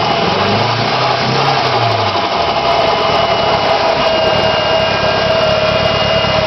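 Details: Nissan SR20DET after sitting for 3 months; the idle is lumpy and uneven, its beat stumbling irregularly instead of running smooth. A misfire of unknown cause.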